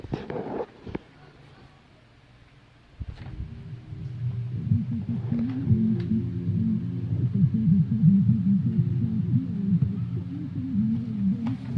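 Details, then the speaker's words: Electro-Voice ELX118P subwoofer after a no-power/no-sound repair (the power fault was fixed and a bad cable connection was causing the low sound): after a click, deep bass plays clean and strong with no hum or crackle; it plays normally. "Yeah, it works."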